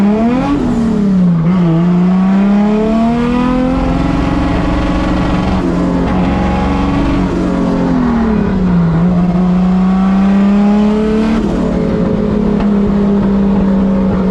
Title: Bad misfire